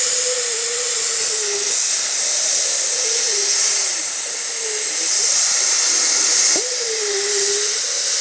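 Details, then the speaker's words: Lixiang with hum in wet weather at 130-140 km/h, air blast directed at the door rubber seal: loud air rush with a wavering hum near 500 Hz rising and falling with the blast; door seal resonance, slight seal repositioning or tighter fit would stop it. "То есть ты понимаешь что даже если резинка будет чуть-чуть дальше или она будет наоборот плотнее этот звук пропадёт"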